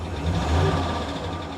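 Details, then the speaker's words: 2021 vehicle, 41,902 miles, salvage auction car with many warning lights at idle: low steady rumble with a faint light tapping from the engine; cause not yet clear. "Oh, it's got a tapping in the engine. Yeah. Ooh. 41,902 miles. And it's a 2021 and the engine is tapping."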